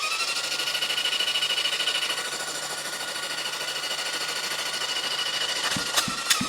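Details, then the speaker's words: 1973 Honda CB750 four-cylinder, previously seized and freed with ATF, spun on the starter after the ATF was blown out. A steady starter whir with an even pulse near 200 per minute; it turns freely and has compression. "it sounds like compression. If I can get to this one. Yeah, a little bit. Sounds like we got compression."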